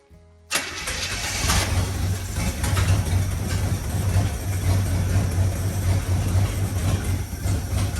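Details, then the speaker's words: 1965 Acadian Beaumont neglected for years, cold, start on a temporary gas tank after fuel was poured down it: it cranks and catches quickly, then a rough, uneven low rumble wavers without settling, and it stalls. Cause not confirmed. "oh come on old girl you got this should probably hop in little cold I don't know why what there seems to run pretty good as I say that it dies"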